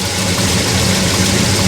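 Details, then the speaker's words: Chevrolet Monte Carlo at idle about 850 rpm with 38° of timing, first run with transmission hooked up, no driveshaft; steady, slightly fast and lumpy idle with hard exhaust edge: ignition timing too far advanced, timing to be reduced. "way too much. Take some timing out of it. It had Okay. So, it's got 38° of timing, idling at like 850 RPM."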